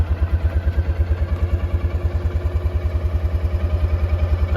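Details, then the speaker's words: 2018 Kawasaki Mule, low miles, after the starter solenoid was replaced and the battery charged: smooth, even low thumping at steady idle with no misses, clicks or knocks. Normal running. "so now we're up and running so was it solenoid and then a battery charge and now we're good"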